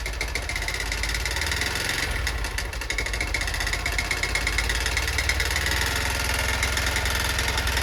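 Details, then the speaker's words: Honda Bros 160 single-cylinder motorcycle idling with an uneven rapid knock about four times a second; owner suspects piston knocking near the cylinder head and a cylinder-piston kit needed; cause unconfirmed. "aí pega a visão do barulho que está fazendo no motor galera parece ser um pistão batendo aqui em cima no cabeçote não parece ó se liga"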